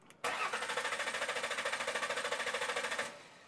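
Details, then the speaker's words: Mercury Sable no start: starter cranks evenly at about three and a half beats a second for three seconds with compression but never fires; 12 volts present at the fuel pump during cranking, so the fuel pump has failed and needs replacement. "we've got 12 volts coming back here we need to replace the fuel pump"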